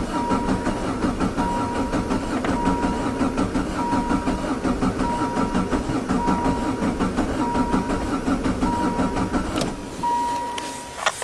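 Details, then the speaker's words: Diesel caravan, high kilometres, cold start lever down after glow plug wait: long steady cranking with even chugs that nearly catch but don't fire; corroded, slightly leaking injection pump lets fuel drain back, leaving air in the pump; hard starting. "oh almost it's just sucking that fuel that's ran away"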